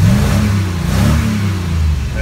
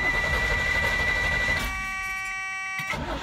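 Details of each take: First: DeLorean fitted with a 350 V8 and a new mechanical fuel pump in place of the in-tank pump: a deep, even rumble rising and easing with the throttle, no knocks or misses, running healthy. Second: DeLorean fitted with a later-model 350 engine and new electric fuel pump, RPM relay swapped: steady even cranking around four turns a second that never catches; pump gets no power, though it works when jumpered.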